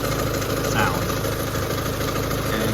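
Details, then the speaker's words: Car idling smoothly and quietly, steady low hum with no slapping or ticking from the belt side, after fixing a very loose timing belt tensioner whose dead spring let the belt slap and the engine run badly. Normal idle. "Also, do you guys notice anything different about how it sounds? It's pretty quiet, isn't it?"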